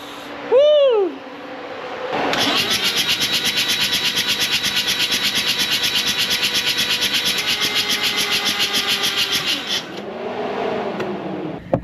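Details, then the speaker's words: Freshly rebuilt Mazda RX-7 FC 13B non-turbo rotary, first start attempt: several seconds of steady rhythmic starter churning that never fires, then fades as the battery dies; oil pressure reached 60 psi while cranking. "I don't know if you guys heard that, but we got oil pressure, which is good, but the battery started uh dying out again."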